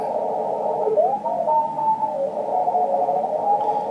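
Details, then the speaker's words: Amateur radio receiver on 40 m (7 MHz) band, evening: man-made noise at S4 even with CW filter and preamp not fully up, loud steady hiss and buzzing hash burying faint tones of a likely DX pile-up; radio frequency interference. "there's apparently a pile up there probably some DX but I I'll never hear that DX with noise like this the noise level is S4 with a CW filter on and the preamp not even cranked all the way up it's awful"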